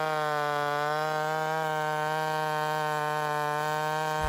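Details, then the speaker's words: Homelite Super XL 130 vintage chainsaw in the cut with the high-speed needle leaned a little too far: steady high screaming buzz that never four-strokes or barks when tension lifts, and the rpm struggles to hold in the cut. Lean high-speed mixture. "I lean it out a bit and I take it just a little too far. And what you're going to notice is that as I lift tension from the saw, it doesn't bark at me, doesn't four-stroke, and the RPMs have trouble holding in the cut."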